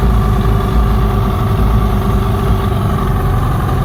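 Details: 1972 Mercury 402 40HP outboard, new water pump working well, rough idle: low uneven burble, firing not quite steady and lumpy underneath; cause not yet pinned down.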